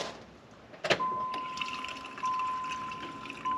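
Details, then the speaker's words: 1994 Pontiac Trans Am GT, sat 17 years, key-on: steady thin electric hum for a couple of seconds as the fuel pump primes; normal fuel pump priming. "you have to let it prime up do you hear the fuel pump obviously there it goes there it goes one more time"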